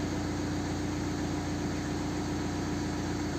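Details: BMW 118d N47 diesel after alternator/regulator replacement, with no error code returning and 14 V at idle: a steady, even low diesel rumble with no knocks, rattles or whine. Normal idle.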